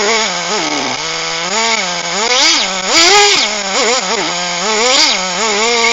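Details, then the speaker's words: HPI Firestorm 1/10 nitro stadium truck, previously seized engine rebuilt and refitted, after preheat: high buzzy engine revving up and down smoothly with clean even pulls and no misses; runs well with good compression, pinion gear destroyed during warm-up. "well Happy Days okay well that was a real slug although eventually managed to get the engine up and running"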